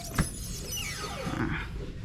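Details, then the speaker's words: Volta 402 Virgo electric motorcycle on stand, rear wheel lifted and spinning; high thin whine sweeping down in pitch with faint squeal from rear brake area, getting louder over time; owner suspects brake; unconfirmed. "nyata ada di bagian rem remnya itu bunyi nging gitu coba ini nih di bagian rem itu bunyi jadi bunyinya sangat mengganggu"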